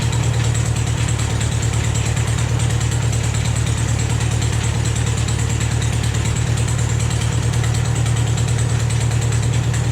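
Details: Rebuilt engine on a Vermeer 630A stump grinder after rerouting the fuel pump line to feed the carburetor: even, steady note at constant speed, regular beat, no stumbling or knocking; runs healthy, normal running.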